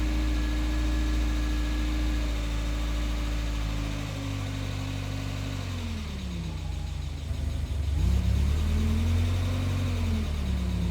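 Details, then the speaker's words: NA Mazda Miata after cam gears re-torqued to 41 ft-lb: engine holds steady then revs sag to idle and fade toward a stall; intake charge tube not seated on the mass airflow sensor, an unmetered air leak causing stalling at idle. "anytime it goes down to idle it just gets too low and dies but otherwise it's fine i figured it out the intake charge tube was uh not seated correctly on the uh mass airflow sensor"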